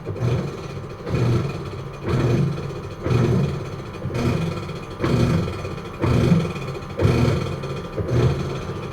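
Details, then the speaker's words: American Home automatic washing machine after a not-draining repair, now in the wash cycle. Low rumbling surges about once a second as the agitator swings back and forth, louder than it should be. The wash noise remains unresolved and its cause is not yet found. "So ngayon power on start so Ayan meron pa siyang problema kapag sa wash pag sa wash"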